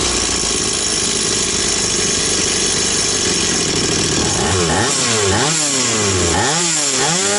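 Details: Stihl 180 two-stroke chainsaw after piston and crankshaft seal replacement: crisp steady buzz, then clean blips rising and falling with no hang or surge; revs normal, no air leak anywhere.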